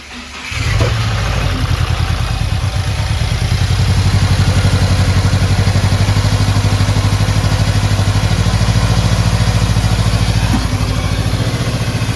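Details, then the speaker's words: Subaru FA20 with top-mount intercooler, started with clutch in after re-gapping plugs and rotating coil packs, data logging: settles into slightly uneven idle with occasional stumble, sounds better but still a light misfire; cause not yet confirmed. "huh i'm letting it data log dude it actually sounds better [Music] something still sounds a little funny but it's okay okay let it run"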